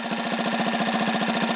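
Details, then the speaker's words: Rebuilt 1965 Honda C100 engine and carb on a test stand with temporary fuel and exhaust, started second kick: quick, even putter at steady idle with no skips or clatter; oil circulating, running as it should. "Got it sitting here idling right now, temporary fuel hooked to it. Got an exhaust system on it enough to make it run. Everything's running just as it should."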